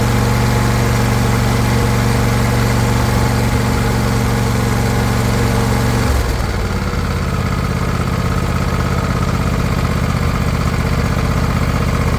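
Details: Non-running John Deere LA120 mower that quit starting months earlier (noise and smoke reported near the battery), started on its own charged battery with no choke: catches and settles into a steady, even idle, brief dip midway as throttle changes, then runs cleanly.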